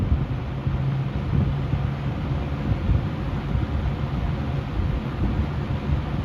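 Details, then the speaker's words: Lakewood Windsor C-14 box fan, about 50 years old, switched on at low speed; low even hum with soft air rush as the motor slowly reaches speed, smooth and steady; normal startup on low. "Alright, with the fan now plugged in, we'll start by turning it to low. It does have a very nice startup sound. It takes a little while."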